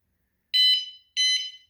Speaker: So they're both armed. After that second beep, they're both armed.